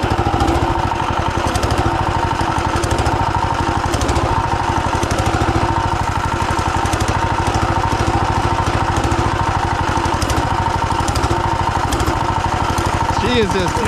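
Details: Turbocharged 420cc single-cylinder go-kart engine, previously blown up and repaired, run hard while drifting: coarse rapid thudding and hammering. Rod knock is suspected.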